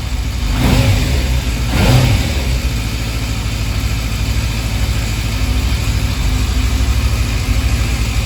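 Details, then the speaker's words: Yamaha FZS600 Fazer after clutch plate replacement and cleaned, re-gapped spark plugs: two clean throttle blips then steady idle, no clutch rattle or stumble, rpm needle steadier than before; normal revving and idle. "Power तो अभी बिल्कुल ठीक है जी clutch पेट की कोई आवाज नहीं आ रही है"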